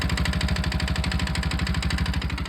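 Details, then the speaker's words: Bajaj Pulsar RS200 single-cylinder motorcycle idling with a sharp metallic clatter on every firing pulse; owner unsure whether it comes from the crank or the block/piston. "शायद से crank का आवाज हो सकता है या block chip का?"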